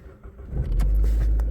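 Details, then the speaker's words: 2014 Opel Astra starting after all-keys-lost key programming, battery dead and jump-started: starter catches within a second into a deep, even rumble with no knocks; clean start, new key works. "The car is running."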